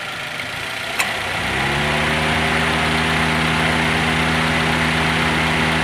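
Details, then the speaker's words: Toyota Avanza/Daihatsu Xenia: a sharp click, then the radiator electric fan spins up to a smooth steady hum over the idling engine. Fan motor running normally again after its worn carbon brushes were replaced. "Coba akses hidupin lagi di juga kebagian vegapunk nomornya terwujudnya hidup kembali dan berfungsi dengan normal kembali"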